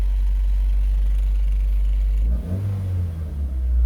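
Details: Toyota Corolla with a crank-no-start problem and ECU replacement: a low, steady rumble, then revs rise and fall cleanly around halfway without stumble or misfire. Revving is normal.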